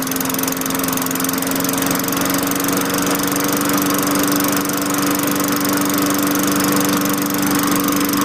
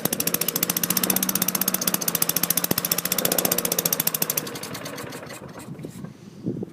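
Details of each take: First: 2003 Craftsman 22" mulcher, Tecumseh 4.5HP engine 143.034502, running after fitting a replacement LEV 100-115 carburetor: steady, even hum at governed speed with no hunting or surging. Normal running. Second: 2003 Craftsman mower, Tecumseh 4.5 HP engine 143.034502, choke limited by an added screw; fast sharp single-cylinder popping runs evenly about four seconds then falters, slows and fades; rough running, won't hold speed before governor adjustment.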